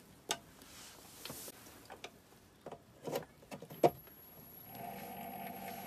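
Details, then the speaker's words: PC power supply fan: after handling clicks, a steady droning hum from a dry bearing, fixed by adding lubricant through the hole under the label. Noisy fan bearing. "们听，听到吧？有一种嗡声音。"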